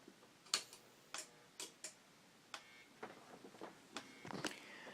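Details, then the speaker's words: Whelen HDS14/28 strobe power supply after the fix, with a loose resistor leg and another component resoldered (previously no output); sharp, slightly uneven ticks about twice a second as it charges and fires the flash tube, normal strobe operation. "So it's simple things like that, the resistor and the other component, that cause the malfunction of this strobe."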